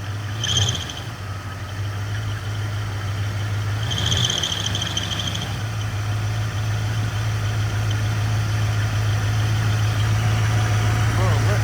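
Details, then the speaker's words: 1995 Camaro Z28 V8 after an AC delete with a compressor bypass pulley: a steady idle with short high chirps now and then over the rumble; the new bypass idler pulley is still breaking in. "it was coming from the bypass pulley itself, from the AC delete, and being of that just means that it was just breaking"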